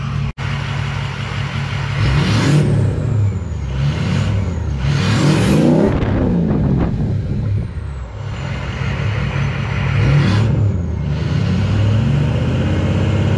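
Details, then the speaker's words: Ford 6.0 Powerstroke diesel with MBRP 4-inch turbo-back exhaust, S&B cold air intake and SCT Livewire tuner on its performance setting: deep rumble swelling with several quick rev blips, then settling back cleanly. Healthy. "I get the six liter fired up here the same absolutely just sounds like a jet idling"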